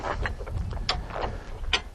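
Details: Hi-Lift Jack lifting a Jeep by its bumper under load, handle pumped with both hands: sharp metallic clicks, about one per stroke, as the climbing pins drop in; jack ratcheting up normally.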